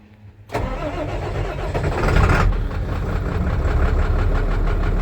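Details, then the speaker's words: International 7400 dump truck with DT466 diesel, auction purchase bought sight unseen, started in wintry weather: fires almost instantly and settles into a firm, regular diesel clatter at idle without stumbling. "see how much easier she starts now"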